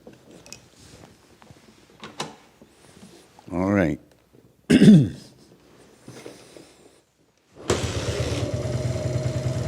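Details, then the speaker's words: 1980s Italjet Skipper 125cc single-cylinder motorbike, fuel on, in neutral: after a few kicks it catches at once and settles into a steady, even idle with no misses; starts from the first kick, left running to see when it stops. "that runs from the first kick. I'm going to let it run now, and we'll see when it stops."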